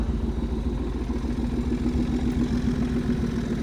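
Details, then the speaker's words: Car on its first drive after a Gen 3 bottom, Gen 2 heads, Gen 1 timing engine swap, with an intermittent issue suspected to be the alternator: steady V8 idle with a loud, uneven clutch chatter rattle, cause unclear. "you can definitely hear the clutch is so loud now. And I don't know why, but you can definitely hear that clutch chatter and crazy."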